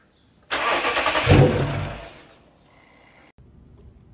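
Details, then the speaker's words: Lexus GS460 V8 right after a spark plug change (old plugs looked bad): short crank, engine catches with a quick rev and settles; normal start with no warning lights. "turn on the car she starts for one and two there's no lights whatsoever um so mission success"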